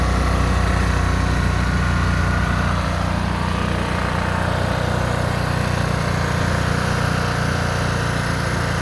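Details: Old $20 generator, running after the fuel filter was removed and fuel squirted in: a small engine settling into a steady, even chug with a low rumble and no misses or surging; running normally.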